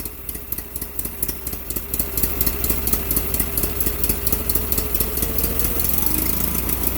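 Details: Case Ingersoll 4016 tractor, Onan P216G twin, first run after Nikki 6100 carburetor rebuild: even, steady putter about two beats a second, no misses; runs smooth but idle a bit low, owner plans to adjust.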